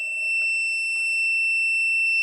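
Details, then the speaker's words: A basic voltage tester held close to an RV outlet gives a continuous high-pitched tone showing the plug is hot, stopping when backed away; it shows electricity is present but not how much. "So it tells you that the plug is hot. And it's basically it's just a basic and rudimentary way to know, is there electricity at that particular outlet."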